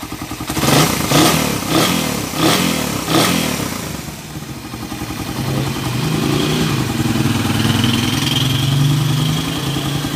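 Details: Suzuki Raider 150 single with hard starting: light rapid ticking over idle and blips, rising with revs; top-end tick, compression release and timing chain mentioned, cause not confirmed.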